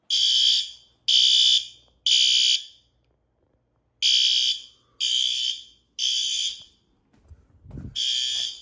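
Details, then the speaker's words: Building fire alarm activated during monthly night-time test, with strobes, monitoring text notification received, horns recently set from high to low volume: loud high-pitched horn blasts in threes, about one per second with pauses. "and I just got my notification my text message at the fireline system went off"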